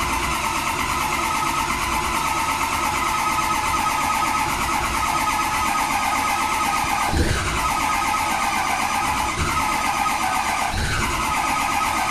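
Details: 2003 6.0 diesel: long steady cranking whir with a few heavier chugs, but the engine never catches and runs, a crank-no-start.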